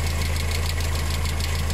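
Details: VW engine with timing chain, bought with engine damage, head gasket failed (known due at 100,000–130,000 km), oil mixed with water: steady low idle with quick even ticking on top; lifters clattering from contaminated oil.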